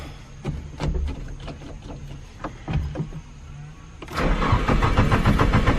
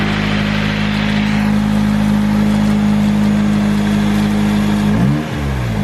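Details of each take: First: Nissan 240SX SR20 just fitted with an EMUSA eBay exhaust, not yet fully tightened: cranks, catches, then a loud raspy idle with puffing pulses; owner suspects an exhaust leak or the loud muffler. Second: Nissan 240SX S13 with a turbo SR20DET and a newly installed 3-inch EMUSA eBay catback, now fully bolted down: steady, even idle hum with a clean rev blip near the end; no puffing or ticking, so the exhaust is sealed and healthy.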